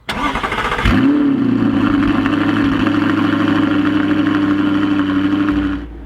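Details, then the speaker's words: Audi R8 V8, suspected seized engine, running again after diagnosis: quick crank, catches cleanly, settles into a smooth, steady V8 idle with no misses or knocks. "Now, as you can hear, the mighty V8 is running once again, which is more than can be said in my previous video."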